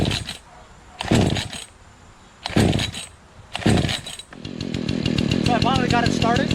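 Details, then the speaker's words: Remington Outlaw 20-inch two-stroke chainsaw, first start in over a year on old gas, started on choke: several short bursts, then a steady, even buzzing run with no stumbling or surging. It works great. "ah there you go just like that works great"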